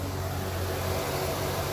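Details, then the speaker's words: 1998 C5 Corvette, back in the garage after the Sac City Coolit V2 fan controller was removed because it never turned on the fans and the car nearly overheated. With the temperature now around 194-196°F, both radiator fans run with a steady, even rushing whir and no rattles. "both fans are running so i'm pretty sure that was my problem"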